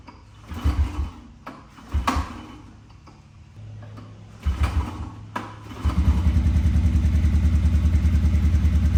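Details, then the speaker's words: 1998 Honda TRX 90 that sat 3 years, after carb cleaning, an oil change, the spark fix and a freshly oiled air filter. A few pulls, then the single holds an even putter at idle with no misses. It idles well, with a little smoke on revving, likely from oil put down the cylinder. "so as you can hear it is running and idling well"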